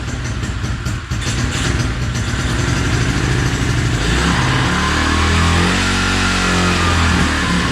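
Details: 2016 Tao Tao 110cc pit bike after top end rebuild and timing set, first start on one kick: small single revs up cleanly, crisp even firing pulses; normal running.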